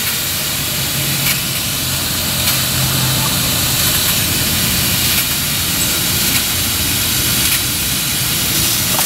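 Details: 7-1/2 gauge Clishay live steam logging locomotive (wood or coal fired), first run in a year, in gear with a little throttle and cylinder drain cocks open: slow, regular chuffs over constant steam hiss. Normal running.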